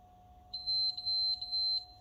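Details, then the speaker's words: PlayStation 5, 14 months old and lightly used: at power-on, white light then three short high beeps and the console shuts off; the known "three beeps of death" startup fault, cause not identified. "then white light three beeps and it's dead shuts off"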